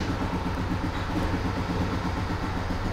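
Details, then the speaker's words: BMW E92 320i with freshly rebuilt engine, idling with a slightly uneven, stumbling beat; misfire on cylinders 1 and 4. Injectors and coils swapped without change; swapped spark plugs made the codes follow, and new plugs helped only briefly. "that is cylinder 1 and cylinder 4 and I couldn't figure out anything"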